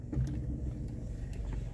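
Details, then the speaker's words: VW Polo with car stopped and steering wheel being turned: a few dull clunks and creaks over the low idle; not the control-arm ball joint but a worn strut top-mount bearing, with a sharper clunk suspected separately. "esse barulho não é o pivô isso aqui é rolamento do amortecedor"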